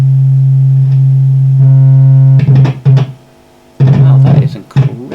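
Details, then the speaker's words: Marshall JCM900 amp with low-volume distorted output, signal generator plugged into the front: the test tone is clearly not right, crackling and cutting out completely as the socket contacts are pressed; a very sensitive, intermittent jack contact. "the signal generator in front i can immediately hear it's not right"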